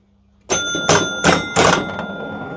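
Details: Gottlieb Ice Show pinball after fixing bent cam and stuck 9 carryover switch on score reel; four sharp chime-and-clunk strikes about every half second as reels step, ringing cleanly: scoring advances properly.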